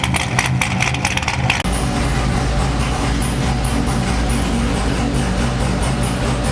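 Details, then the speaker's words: Corvette C6 LS V8 first start after failed-lifter replacement: after a brief burst of music, steady, even low idle with no ticking or misses; warming to about 220°F, air still in the coolant. "so everything seems good the car started to heat up a little bit got above uh 220 which i believe is a set point"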